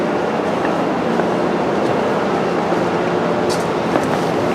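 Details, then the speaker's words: Dodge 4.7 V8 pickup with check engine light on, engine not running: steady airy hiss of pressurised air escaping out the tailpipe, smoke visible; exhaust valve leaking or not seated properly, adjacent cylinder also leaking. "you can see all that smoke right there coming out of the tailpipe so we definitely got a exhaust valve leak or exhaust valve likely not seated properly"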